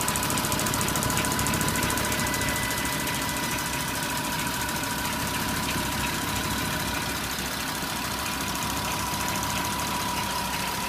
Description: you can hear timing chain grinding noise on left side , and FSI knocking sound on right side of engine